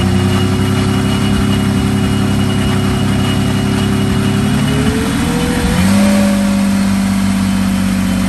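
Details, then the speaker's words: Meteor Interceptor car with Centurion tank engine, first complete drivetrain test on jack stands after rewiring; warm idle at 540 rpm, coolant 78°C, ignition 10° BTDC, alternator 14.0 V: slow, even idle with smooth low beat and steady whir, brief rise and settle, runs cleanly. "here we can see that the coolant temperature is up at 78 degrees celsius ignition angle 10 degrees before top dead center and the alternator is 14.0 and this is 540 rpm"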